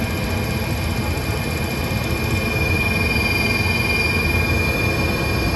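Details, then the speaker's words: HVAC rooftop unit heating after replacing the intermittent spark ignition module: burners light, steady rushing run with a thin high whistle on top from a motor, not heard earlier; flame sensor needs cleaning, motor drawing about 0.8 A. "gonna have to clean the flame sensor this guy doesn't sound that great either hopefully that goes away i didn't hear that earlier i didn't really hear that earlier"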